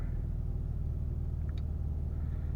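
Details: 2004 Infiniti G35 after crank-no-start with codes P0430, P0335, P0345, fixed by replacing the faulty bank 1 camshaft sensor: steady, even low rumble with no knocks, misses or stumbles; engine idles smoothly and sounds healthy.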